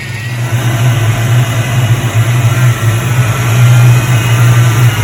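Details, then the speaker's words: 1988 Ford Mustang GT (Fox Body), idling after a power steering pump replacement: a loud, uneven low groan. Air in the system, probably from low fluid; turning the wheel while running bled the bubbles and the noise dropped. "so it doesn't sound good it's just doing that because there's not enough fluid in there probably"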